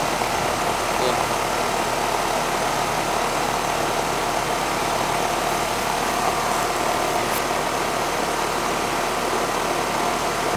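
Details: Outdoor unit of a 10-year-old R-410A AC system after evaporator coil and TXV replacement, subcooling at 10-11 and charge fine: a steady airy fan rush over a smooth compressor hum, no rattles or clicks. Normal running.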